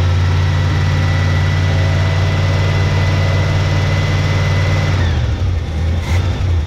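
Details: 1971 Chevy K10 4x4 pickup, small-block 350 V8, restarted after sitting about 10 years, choke on: deep, uneven low rumble dipping and wavering; carburetor gasket dry-rotted and leaking; owner suspects the old gas causes the low rough idle.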